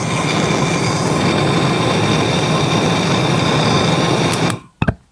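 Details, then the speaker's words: Blowtorch heating dry copper pipe during soldering, before adding water: steady loud torch roar with no crackle or spitting, then cut off; hot dry copper gives no crackle, while water in the pipe would crackle. "see that is just copper that's just hot copper now if we add water you'll hear a crackle"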